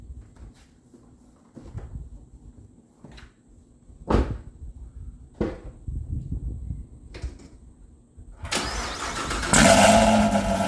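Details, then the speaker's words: 2018 Chevy Camaro ZL1, first start after the Corsa anti-rattle spring repair on the NPP valved exhaust, valves closed in stealth mode: brief crank, catches and settles into a smooth even idle with no exhaust rattle or buzz. "all right well I got everything buttoned back up and I have it in stealth so if this thing starts up quiet we know everything's working correctly so here we go"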